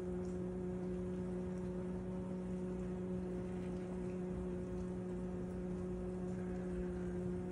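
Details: Loud steady running noise from a KitchenAid KDFM404KPS dishwasher: strong motor hum with a low buzz and fixed tones over soft water spray, louder than it should be; cause unclear.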